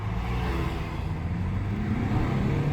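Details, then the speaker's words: Ford Mondeo Mk4 1.8 diesel, earlier in limp mode with P2263, on a road drive: strong, even pull under load, steady low drone climbing smoothly with no hesitation; plenty of power. "Wow. Look at that. Plenty of power there. Nothing wrong with that."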